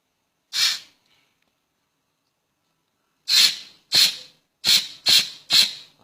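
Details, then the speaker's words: Automatic gearbox clutch pack being air-tested through its feed holes during rebuild: short sharp hisses ending cleanly with no lingering leak; the pack holds air, no leak. "นี้ใช้ได้นี้องเสียงอยู่ข้างในมันจะมองไม่เห็นให้ฟังเสียงเอางงี้ใช้ได้ไม่รั่วถ้ารั่วมันจะฟูดๆไปเลย"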